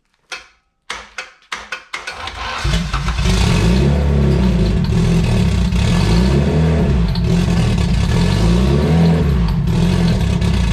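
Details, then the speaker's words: Turbo D16 EF hatch (GTX3576R) on its first start: it fires after a few cranks and revs with a sharp, fast rapping knock. The owner first feared something loose in the bottom end, but it was knock from running very lean. "it was very lean when we first started and i thought there was something loose on the bottom end but that was actually knocked from it being really lean"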